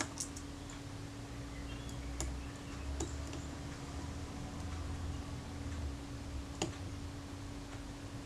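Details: Kodak Retina IIIc camera after servicing and top cover refitted: a few crisp clean clicks seconds apart in a quiet room; shutter fires and advances smoothly, working as it should.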